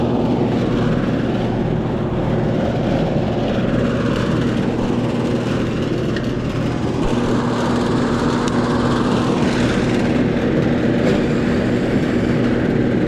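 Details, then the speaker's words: Older-style air conditioner outdoor unit not cooling, lights blinking as if struggling to start: loud condenser fan roar with low hum, compressor never runs; stuck compressor pulling locked rotor amps, capacitor then measured 50 microfarads. "nope it's not running that condenser fan motor is mighty loud yeah I just heard it pulling lock rotor amps I just heard it pulling lock rotor ramps"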